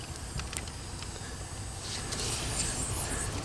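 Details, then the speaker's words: Van tire, worn used tire: thin steady hiss over low rumble as air escapes through a sidewall split too high up to plug; tire replaced. "all right where's the dumb leak oh i see some bubbles somewhere oh so on this side look like it's over here guys oh i hear it"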